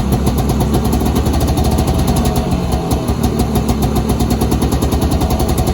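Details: 1983 Polaris Indy 440 Cross Country snowmobile, carbureted two-stroke, started cold on choke with a new pull cord after an engine teardown. Loud, steady burble at an even fast idle with no misses or knocks; it runs normally.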